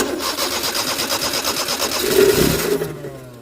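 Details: Maruti 800 cranking unevenly, almost catching and swelling briefly before dying away; turns over but won't fire; spark plug suspected, being replaced, choke in use; cause not confirmed.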